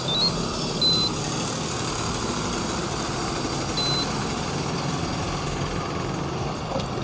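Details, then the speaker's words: Evaporative air cooler fan, motor tested alone without fan blade: steady even hum, no knocking, scraping or rattle, quiet; motor fine, noise likely from worn blade hub on motor shaft. "นี้ผมลองเฉพาะมอเตอร์นะรับชมไม่มีเสียงดังนะกินนะครับลองเฉพาะมอเตอร์ไม่มีเสียงดังเลยเงียบเลยนะครับ"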